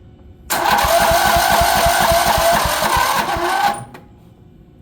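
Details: Dixon ZTR zero-turn, 16 hp Briggs & Stratton; cranks evenly at about three compressions a second for three seconds with no hang-up after valve adjustment (intake and exhaust were far out of spec, causing compression issue and hang-up); battery also weak.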